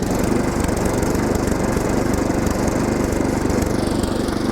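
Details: Older Craftsman SnowKing snow blower single-cylinder engine brought back after oil drain, new spark plug, Sea Foam and WD-40: chugs at a steady fast beat with no misses or stumbles; normal running.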